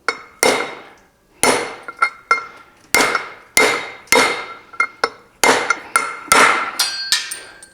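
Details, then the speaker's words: 1973 VW Thing front drum bearing cup driven in with a cheap socket and hammer; sharp blows about one to two a second, later hits ringing brighter and harder, a distinctive tone change showing the cup is fully seated. "Make sure that she's seated. You'll hear a distinctive tone change, and that one's down."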